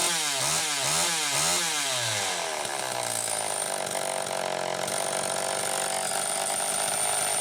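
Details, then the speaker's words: Homelite Super EZ chainsaw after repair (no-spark fault fixed by baking the coil), started with a drill via the decompression valve: two-stroke blips up and down a few times, then holds a clean, steady wide-open scream with no misses; runs well. "here it's wide open at whatever rpm it happens to be running at so sounds like it's running pretty damn good"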